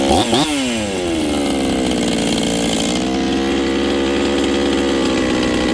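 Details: Rebuilt Husqvarna 266XP chainsaw with a new top end installed, on its first run with final carb settings not yet done. It holds a high steady buzz but falls off throttle blips, lazy off the bottom, with the untuned carb suspected.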